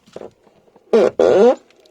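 Two loud creaky squeaks as a car door swings open and shut, from dry, unlubricated hinges.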